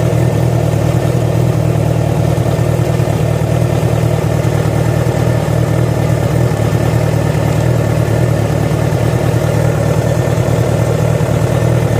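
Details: Yamaha FZ6 inline-four idling and blipping, with uneven mechanical clatter over the exhaust beat; started after riding about 70 km on two cylinders due to a failed ignition coil connector. Source not pinned down.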